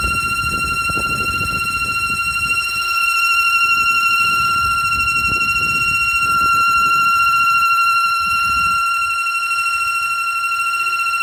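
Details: 2007 Audi A3 8P at idle: a steady high-pitched wheezing, whistling whine from a failed PCV valve.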